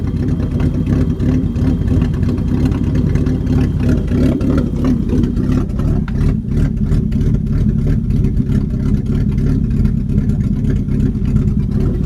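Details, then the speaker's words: BMW E30 with hard-starting/flooding issues: cold engine idles rough and lumpy, surging and stuttering into a big-cam-like lope. It tries to smooth out under load and the lope goes away once fully warmed; cause not yet found. "Here it kind of sounds like it's surging a little. So if anybody knows what would cause that, it's like it's stuttering, like up, and like it's got a now it's loping. Sounds like it's got a cam in it."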